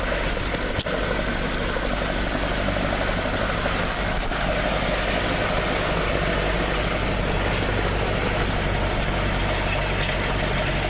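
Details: Toyota AE86 with 4AG engine after exhaust leak repair, stock exhaust sound: steady even idle, firm exhaust burble, no puffing or ticking from pipework; exhaust sealed and healthy.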